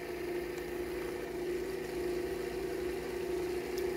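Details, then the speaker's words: Small PPM motor with a clear SLA resin 3D-printed rotor, run at 10 volts: steady even hum with a clean mid-pitched tone, no knocks, rubs or wobble; running true with good output. "so I have it at 10 volts now oh it's running so so beautifully true and I'm getting really good output"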